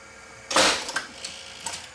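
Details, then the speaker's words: Sony VP2000 U-Matic 3/4" player that won't play: at power-on the main motor belt-drives the head drum; on loading, a sharp mechanical clatter then light clicks as the mechanism strains, tape only partially loads, pulled out both directions; tape loading fault, cause not yet known. "you notice what happens the tape makes a partial load pulls the tape out both directions"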